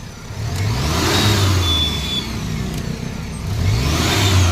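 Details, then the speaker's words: Maruti Omni after fixing fan belt chirp/squeal (worse in winter, with headlights on): engine revved up and down twice with headlights off and on, smooth rise and fall, no chirp or squeal; belt quiet. "On कर दूंगा देखो ये यह light on फिर भी कोई आवाज नहीं ये देखो चाहे कितनी बार ऑफ कर लो और ऑन कर लो कोई आवाज नहीं"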